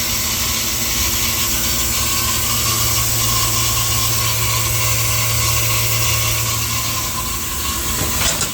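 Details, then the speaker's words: Through-the-wall A/C condenser on a no-AC call. Loud steady compressor hum under a harsh hissing scream, with no fan whoosh. The compressor is overloaded because the condenser fan motor had failed from a bad capacitor; it still sounds strained after restart. "This compressor definitely sounds better. Actually, I take that back. This compressor still sounds"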